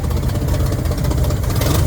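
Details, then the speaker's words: 1967 Chevrolet Corvair Monza 110, dual carburetor, hard starting and poor acceleration: low, uneven, tractor-like chugging idle; owner blames a known bad exhaust leak; rough idle. "Okay, she sounds like a tractor, which isn't unusual for her because she has a bad exhaust leak. What's just sounds funky."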